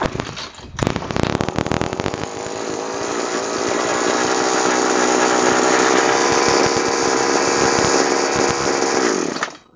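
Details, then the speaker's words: Nearly 3-year-old two-stroke sprayer engine: a few pull-start rattles, then a crisp high buzz holding steady and even without stumbling; normal running. "kalau seperti ini rasanya enak banget tapi kalau mulai macet pikiran kita sudah tidak karu-karuan"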